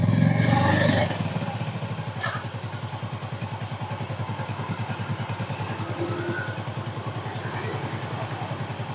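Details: Scooter test start with the CVT reinstalled after earlier loud rough noise at idle, catching with a brief burst then settling into a steady, fairly even idle putter.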